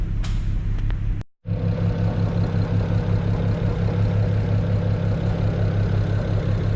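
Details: BMW E92 335i with N54 petrol six at rough idle: uneven, stumbling pulse, also felt on top of the engine, from a cylinder misfire attributed to a failing ignition coil.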